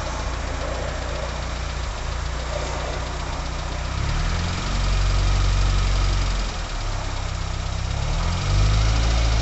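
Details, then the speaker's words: 1980 Leyland Mini started after about three months sitting, with water topped up and choke now off: low even idle with a steady deep thrum and no knocks or misses; idling quietly and healthily. "okay that's no Troke now and this is when she's really quiet"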